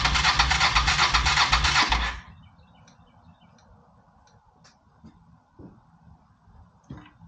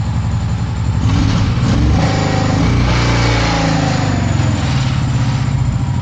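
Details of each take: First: Honda PC800 Pacific Coast, likely not started since about 2007–2008, air cleaner off: it fires on starter fluid, roars roughly for about two seconds, then dies. It runs only on starter fluid, from stuck carburetor floats and clogged jets. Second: Long-sitting Honda PC800 Pacific Coast after carburetor cleaning, fresh fuel and a new fuel filter, plugs unchecked; even, steady V-twin beat with no misses or surging, a rich low rumble, running better than before; normal running.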